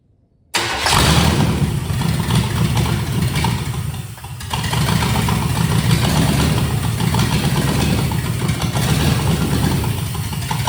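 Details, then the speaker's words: Marketplace fuel-injected Vortec-type engine for 1970 GMC C2500, first start on starter fluid, no fuel system, number one spark plug wire missing, vacuum leak: fires first crank, uneven loping beat dipping and recovering; misfire from disconnected plug wire. "And as far as as good as it was running, it's not even it's missing one of the spark plug wires. So number one's actually missing. but still ran good."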